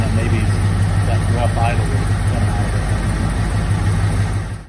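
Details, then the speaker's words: 1986 Ford F-150 Lariat, 302 V8, 70-some thousand original miles, run again after sitting about 15 years and getting a new high-pressure fuel pump, tank drained and flushed, likely still on some old gas: even, deep idle with a steady low pulse, no misses or knocks. "but pretty nice to hear it run again yeah yeah it's uh probably still running on some of the old gas"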